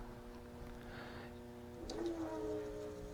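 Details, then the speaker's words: Washing machine AC induction motor wired outside the appliance, powered but not turning, giving a steady electrical hum; runs once spun by hand, so a bad starting capacitor is suspected. "plug it in yeah it's humming so that means a bad capacitor"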